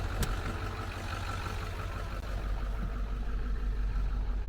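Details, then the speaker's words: 1996 Ford F-350 diesel that had run out of fuel, started after bleeding air from the fuel system and fitting new batteries so it cranks faster: deep, steady idle with an even low rumble and no misses or knocks. Normal idle. "is this the time it's gonna start it's cranking way faster with new batteries oh yeah yeah and she started foreign"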